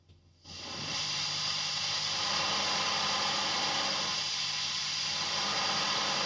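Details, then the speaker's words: Fender ProSonic valve amp on the bench after a full recap, all controls on 10. With reverb turned fully up, a steady even hiss and no crackle or hum: reverb slightly noisy but usable. "Okay, slightly noisy, but not unusable, especially when it's turned all the way up."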